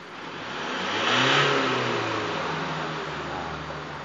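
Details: Isuzu D-Max diesel free revved after repair of black smoke and sluggish acceleration: revs up smoothly, peaks and falls back cleanly to idle with no misfire or knock; sounds healthy.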